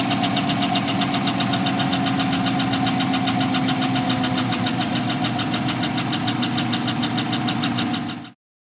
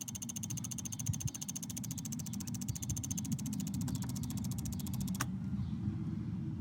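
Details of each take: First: Chevy 5.3L LS V8 truck engine idling with a sharp, steady ticking of about four clicks a second over the engine note: true hydraulic lifter tick. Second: Chevy/GMC 5.3L truck engine idling: fast light even ticking over low idle rumble, normal injector, relay and solenoid clicking, not lifter tick.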